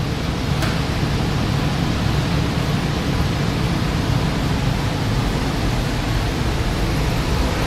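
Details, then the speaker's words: 2006 Trane portable HVAC unit switched to heat mode, condenser fan and AC pump off and heaters about to come on: steady, even rush of air with a low hum, no knocks, rattles or squeals; normal blower operation. "And you still get the same flow coming out of here, except that there's these heaters down there that are going to turn on."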